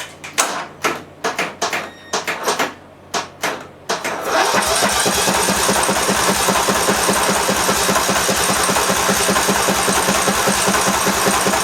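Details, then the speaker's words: Massey Ferguson (Simplicity) lawn tractor, 18 hp Briggs Intek OHV engine, started without choke and without a muffler: a few starter pulls, then a loud, rapid, crackling open-exhaust run with smoke. The carb is suspected of puddling fuel. "That was loud, but it fired. It runs."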